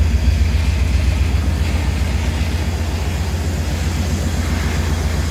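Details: 1999 Chevy Tahoe V8 running: deep, loud throbbing rumble at about 3-4 pulses a second; loud exhaust leak.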